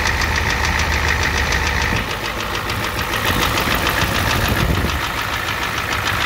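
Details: 1988 Ford F250 7.3L IDI diesel at idle: steady even knock, three or four per second, cause unknown; also high pressure fuel line leak, white/gray exhaust smoke, smoke from oil dipstick, oil in add zone.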